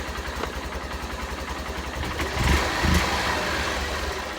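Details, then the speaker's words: Honda CBF125 (59 plate) with a failed stator, battery flat and not charging, lights out: small single idles with slightly uneven beat and brief blips before stalling from lack of battery power; failed stator, no charging. "the reason that stopped or store stalled or stopped it's basically there's no power in that battery there this bike needs 12 volts or 13.8 volts to run obviously the battery's flat"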